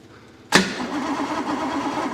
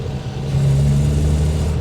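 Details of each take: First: 1962 Rover P4 on a cold, wet day, with good spark at the points and a smell of fuel: steady rhythmic cranking for about five seconds that never fires. A crank-no-start traced to a blocked air intake. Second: 1962 Rover P4 running again after a roadside breakdown in which something sucked through the engine bay: steady deep even rumble, no misfire, stumble or knock; normal running.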